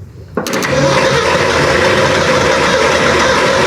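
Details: 1972 Ford F100 4x4 with 390 V8, parked 15-plus years, first start: sudden roar after silence, runs ragged and uneven for a few seconds only on fuel poured into the carburettor; stumbling start.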